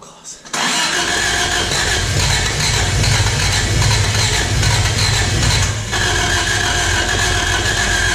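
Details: 1986 Toyota Corolla AE86 parked since 2010, on a charged battery: steady uneven cranking about three beats a second with a brief near-catch, never running; crusty corroded spark plugs suspected, not confirmed.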